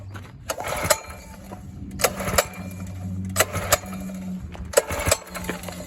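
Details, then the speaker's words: 1970 Sears 10XL garden tractor, small engine just started: weak low idle with irregular clattering bursts about every second, loping and stumbling; owner thinks it wants a little throttle, cause unconfirmed; uneven idle. "Sounds like it wants a little throttle to me."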